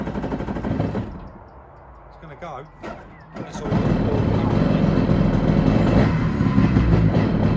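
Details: SeaDoo XP two-stroke jet ski, run out of the water with no cooling water: quiet cranking, catches around three and a half seconds into a steady crisp two-stroke burble; normal start and idle.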